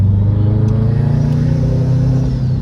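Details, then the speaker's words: Tuned Subaru WRX with new Perrin blow-off valve: deep note climbing smoothly with no hesitation; feels smooth, though a pop persists. "Feels good, huh? It's nice. It's like a clean wastegate sound. Feels great. I'm happy."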